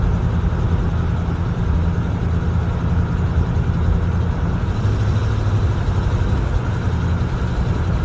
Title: 83 307 rough idle